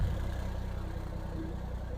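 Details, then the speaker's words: 2003 Foden Alpha truck with Cummins diesel, started after an engine wash: steady low idle with even regular beat, no knocks or misses; starts with no problem, normal diesel idle. "Right, I'm going to start her up and make sure she still starts. And you can hear her in all of her glory and see her. Oh, she starts all right."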